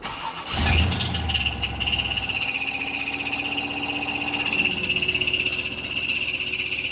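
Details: GM engine revived after seizing from a failed oil cooler quick-connect, run for a few seconds at a time to warm up: a high, steady metallic screech persists from startup into idle. The owner suspects a piston ring stuck in a piston, which is unconfirmed.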